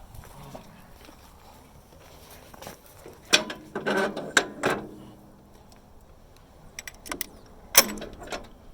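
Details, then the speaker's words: McCormick Deering Farmall F-30 after its first run, with the magneto swapped for a different unit. Engine rolled slowly by hand in 1-3-4-2 firing order. Sharp snaps at top dead center show the magneto impulse coupling tripping and firing properly. "that snap snap that's the impulse of the word i was trying to remember that's the impulse on the magneto so when it snaps it means it's fire it fires right then pop"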